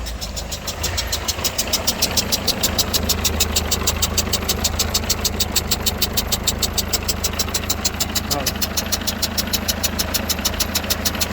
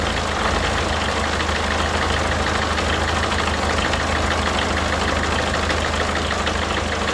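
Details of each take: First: Peugeot Partner 1.6 HDi diesel (90 or 110) idling, heard from a distance: a sharp, regular chuffing tick about twice a second. A worn injector seal is letting compression leak past the injector. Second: Peugeot Partner 1.6 HDi diesel idling after replacing a failed injector seal and cleaning the seat; steady even clatter, the earlier leak noise gone, no hiss or puffing at the injectors.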